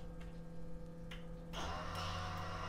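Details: ABS unit during a brake bleed commanded with an Autel DS808 and a Wuth pressure bleeder, front right wheel, about 1 minute per wheel: relay ticks, then a steady low electric pump drone; normal ABS pump operation.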